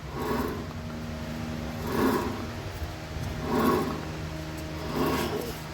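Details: Ford Everest front spindle (wheel) bearing: a low growling roar swells and fades about every second and a half as the hub turns, clearly heard from above and not from the disc brake; a worn wheel bearing.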